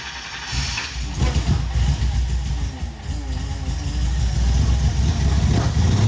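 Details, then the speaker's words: Nissan 350Z with swapped supercharged Hellcat V8, first start, project unfinished; catches, settles into steady idle, then climbs smoothly with each blip, strong even running with no knocks. "al fin salimos de la duda de Cómo suena un motor helc de un 350 Z es posible"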